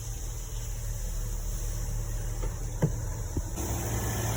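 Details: Porsche Cayenne inline six after repair of a misfire from blocked injectors 1 and 2, which were cleaned and refitted, codes erased: a steady, even low idle with no stumble or skipped beats, smooth and healthy.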